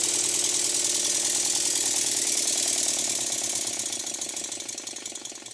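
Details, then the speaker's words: Stuart model steam engine after eccentric adjustment for forward and reverse: quick hissing chuffs about three a second, slightly uneven between beats; runs great one direction but beats not even enough in the other, so valve timing gets a further very fine tweak. "I'm making another fine tweak because it runs great in one direction but the beats are not quite even enough in the other direction so I'm making a very very fine adjustment"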